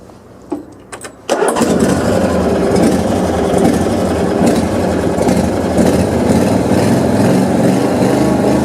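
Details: Vintage Cub Cadet 1440 after restoration and reassembly: a few cranking turns, then it catches cleanly and settles into a steady, even run. The engine starts and idles normally.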